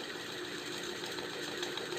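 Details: Ceiling fan opened up and run at low speed, whirring steadily with a rough, repeating scratch-scratch noise over the motor hum; presented as fixable without replacing the bearings.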